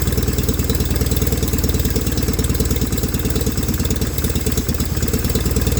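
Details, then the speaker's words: 1989 John Deere 420 garden tractor running on its own fuel after an electric fuel pump was added; even steady thumping idle about three beats a second with no misses. Normal idle. "so so really well we now have a running driving john deere 420"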